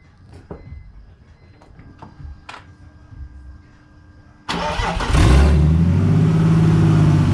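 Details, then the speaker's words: BMW E46 turbo build, front bumper off and intercooler being installed, on a cold start at 1 a.m. The starter cranks briefly, then the engine catches and settles straight into a smooth, steady idle with no misses or knocks. Normal. "okay so as you can see it's running it runs really smooth i'm gonna let it warm up a little bit"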